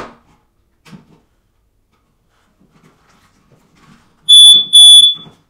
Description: I hear a chirping waking me up. It’s telling me that it’s Time to change the battery. 9v